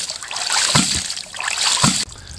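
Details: Rife Ram 20 hydraulic ram pump, regasketed and reinstalled, fed by 2 in pipe from a dam, pumping 87 ft up to a 300-gallon stock tank, sniffer valve adjusted: splashing water with firm valve thump roughly every second, even cycle; running normally.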